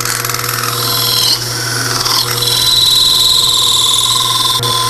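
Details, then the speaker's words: Wood lathe slowed to about 800 rpm, with a chatter tool (a pointed sawzall blade clamped in a hardwood dowel) tipped up like a scraper: a steady high squeal holds over the lathe hum. Good chatter cut. "tipping it up and listen for a telltale squeal when we when we get a squeal we know we've gotten some good chatter"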